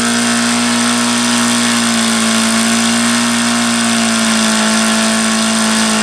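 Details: HP VT 21 rotary-valve four-stroke model engine, primed with throttle fully closed: high-pitched single-cylinder buzz that sags and wavers briefly as if struggling to stay running. Rough running and won't idle, an issue since day one; owner suspects the plugs and changes them.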